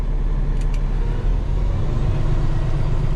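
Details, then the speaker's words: X15 Cummins conversion after ECM parameter changes: deep, steady diesel rumble at cruise-raised idle, intended to bump up to 1,000 rpm, no misses or knocks; normal raised idle. "Let's see if our cruise bumps up the way it should now. Should bump up to 1,000."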